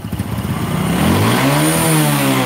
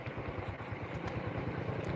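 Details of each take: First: Honda Supra 125 motorcycle with slipping clutch, hard cold starts, white smoke and engine clatter: revving with a hollow metallic clatter over the exhaust as revs rise and fall; piston knocking because it is loose. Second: Honda Supra 125 motorcycle after new piston and overhaul, previously hard cold starting, smoking and engine ticking: soft, even low idle thump with no knock or rattle, almost silent; normal, smooth idle.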